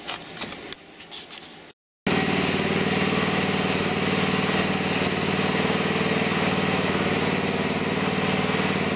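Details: Pump used as a hydraulic motor for a DIY mini-excavator mower, tested with a belt load after a tachometer check: after a short pause a steady, even drone holds speed and cannot be slowed. Plenty of power, healthy.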